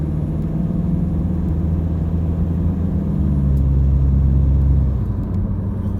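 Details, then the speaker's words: Toyota Hilux (Vigo) 3.0 L 1KD-FTV D-4D diesel after injector replacement, light acceleration at 1500–2000 rpm, about 45 km/h: smooth even drone with faint slight rattle; normal healthy running. "see what i mean it's just a consistent nice quiet vehicle 1500 1750 two grand fairly light acceleration 45 k's"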